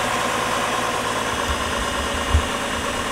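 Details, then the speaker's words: 2004 GMC Envoy after repair of P0300 random misfire traced to cylinder 4, just restarted: steady, even idle hum with no stumble or shake; engine idles cleanly, no check engine light. "all right so the engine sounds good now another thing we can do is we can take a listen to the exhaust"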